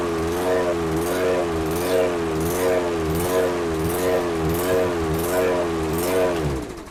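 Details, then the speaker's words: Briggs and Stratton 190cc engine on a 22-inch Toro Recycler mower with a brand-new aftermarket carburetor: speed hunts up and down about once a second; surging, likely running too lean from an undersized jet. "So, you can see there a lot of surging."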